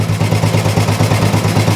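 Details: Old Royal Enfield 350 single, first start: steady, even low thumping at a settled idle with no knocks or misses; runs cleanly.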